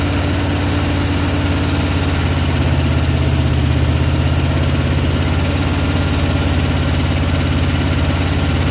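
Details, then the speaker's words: Abandoned Eleanor Mustang, probably a 289 V8, first start in over a decade: loud, lumpy idle with a stumbling beat and dropped pulses; badly misfiring, seemingly dead on two cylinders. "It's running. It ain't running really good though, but it's running. Hey, it's idling too. Oh, it sounds bad. It's dead on like 2 cylinders for sure."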